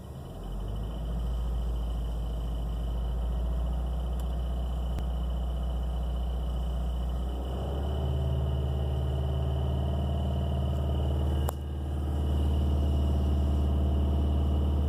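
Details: 2016 Subaru WRX at idle after running a while and clutch stress, faint steady tick about four a second, going away when the clutch is pushed in and out; owner suspects throw-out bearing, dealer couldn't reproduce.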